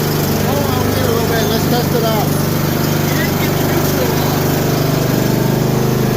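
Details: John Deere D120 mower, about 343 hours, after no-start repair: engine runs steadily at an even pace with no misses or starter clatter; starts and runs healthy.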